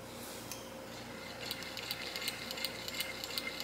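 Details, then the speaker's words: Free No. 5 vintage sewing machine during reassembly, shuttle set to skim the curved metal without grinding and oiled along its edge; light, even ticking about three a second with no grinding, the shuttle running smoothly. "looks good um I'm actually going to put drops of everything everywhere of really good oil along this edge here just in case I don't want anything to damage it okay it sounds good"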